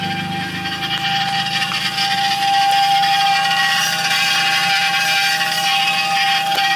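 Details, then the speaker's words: Car (TC) after new drilled and slotted rotors and Hawk performance pads, front jacked up, in drive, foot on brake: harsh metallic scrape about twice a second over a steady ring; dust shield's lower lip rubbing the rotor, fixed by bending it back. "so I found out the issue of the issue was the dust cover was hitting on the bottom portion down here this little lip down here"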